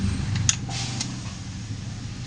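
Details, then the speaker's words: Yamaha NMAX version 2 scooter that won't start, listened near the fuel pump at key-on: only a few light clicks, no pump whir, so the fuel pump is judged faulty. "Pansin niyo wala siyang ogo. Ibig sabihin n sira yung fuel pump."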